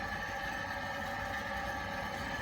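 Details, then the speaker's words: Glow-worm Micron 30FF boiler fan: a steady, strained whirr with a high whine. The heating sometimes fails to come on, and the fan is being replaced. Failing boiler fan. "the point it's not a nice noise and opposite on the opposite side of the wall to this boiler there's a bedroom directly there couldn't imagine that noise will travel through and become quite a nuisance at night"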